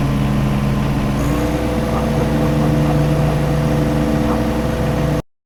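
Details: John Deere 1025R tractor diesel after replacing main fuel filter under floorboard to cure surging/stalling: steady idle with even low thrum, no surging, hunting or stumbling; normal idle.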